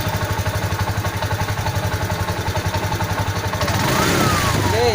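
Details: TVS King, test with a good fuel pump: even idle thump about four beats a second, picking up cleanly on throttle; runs steadily with fuel delivery sounding fine.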